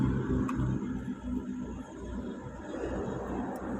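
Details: Toyota car engine running after an alternator pulley repair: steady, even hum with no squeal, rattle or grinding from the front accessories; the earlier loud front-end noise is gone.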